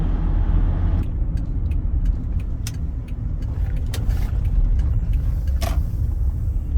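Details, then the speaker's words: Car with Toyo tires cruising at about 45 mph; a steady deep roar with no rhythm, separate from an earlier wobble noise. Owner says the tires have been noisy since fitted: suspected tire road noise. "I don't know how well comes on the camera but hear it really noisy these tires are just incredibly noisy they've kind of been like that since I've had them not with the whole wobble noise"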